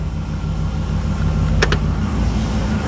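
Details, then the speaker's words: 2009 Corvette C6 convertible V8, one owner, low mileage, crash-damaged, first drive; low steady engine rumble while rolling, brakes work well, no dragging, scraping or rubbing from wheels; drives normally. "yeah brakes work good I don't hear anything dragging or any funny noises this sounds actually pretty good"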